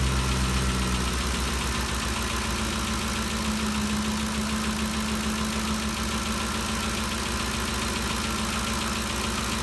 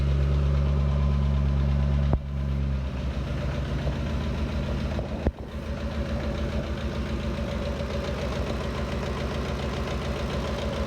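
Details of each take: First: 2013 Ford Expedition after repair of a loud valve-train ticking (cam phaser or timing chain suspected): an even, steady idle with the earlier ticking gone, before the valve cover bolts were retightened; the engine sounds smooth and healthy. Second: 2013 Ford Expedition V8 idling with a fast, uneven chattering tick from the valve train, first suspected as cam phaser or timing chain, judged to come from the left side; found to be a broken rocker arm.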